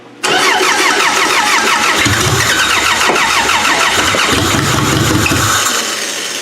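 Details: Demolition derby car with the fuel pump switched on, starter jumped with a wire: the starter spins the engine with a steady rapid chug for several seconds but it never catches; cranks, no start.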